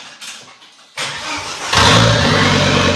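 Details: Volvo S60 T5 front half cut off as donor engine, no exhaust fitted: brief crank then catches cleanly into a loud raw idle; finally starts after removing the airbag control module.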